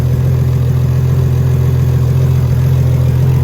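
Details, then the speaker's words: Nissan Skyline R32 GTR, fully built RB26 after a long rebuild, Borg Warner 8374 single turbo, Tomei 262 Poncams, first start. A deep, steady rumble with a quick even pulse and no knocks, ticks or misses: a normal, calm idle. "i mean it sounds good sounds good sounds like it's all working no weird sounds it's not it's like idling like normal"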